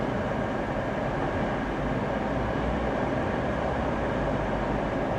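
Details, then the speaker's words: Honda Insight at auction: it starts and shows ready, then shakes all over with a loud, coarse, uneven rumble and constant rattling. The red triangle warning is on and it still goes into gear; cause unknown. "let's give it a little yeah she's shaking all over the"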